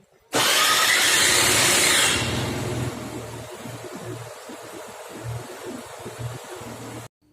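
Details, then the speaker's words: 2005 Honda Activa 110cc scooter, 64,000 on odometer: a loud harsh whirring rasp only while starting, easing to a steadier, quieter idle; starter motor was serviced and found good, so owner suspects the Bendix drive or CVT system. "So now culprit may be the Bendix drive and CVT system. To access Bendix drive and CVT system, I need to open the side panel."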